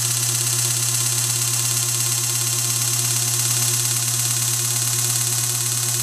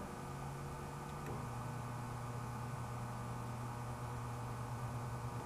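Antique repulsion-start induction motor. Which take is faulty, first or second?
second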